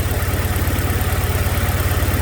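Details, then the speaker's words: 2006 Chevrolet Malibu, 2.2 Ecotec four-cylinder, flashing MIL, P0300, spark plugs already replaced: rough idle with a heavy low chuffing pulse. Cylinders 1 and 4 are dead, and testing confirmed a failed ignition control module. "so the ecm is telling the ignition control module to fire the coil but either the module has failed or the coil has failed"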